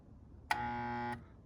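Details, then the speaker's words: InSinkErator garbage disposal with its starting circuit wired directly for testing, plate spinning freely by hand with no blockage; a short steady buzz as power hits, motor hums but never starts; starting windings suspected shorted or broken. "I still get the hum it won't start so how do you fix this is my question"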